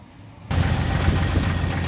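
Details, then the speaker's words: Jeep at idle after start-up after adding Lucas heavy duty oil stabilizer: steady low rumble, lifter knock now mostly masked to a faint tick; oil consumption cut about a third, smoke puffs possibly reduced a little. "so here it is running and it's honestly pretty quiet and smooth now that lifter knock"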